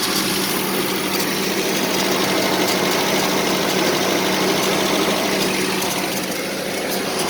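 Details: 1984 Nissan 720 4x4 at idle: steady but uneven, lumpy beat over a hissy mechanical background; rough idle, cause not clear.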